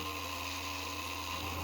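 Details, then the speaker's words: 3D-printed maglev rotor on a Bedini circuit at 8 volts: steady hum with a constant buzz from the loosely built base and components vibrating, not from the rotor itself. "is the vibration from the components not from the rotor itself"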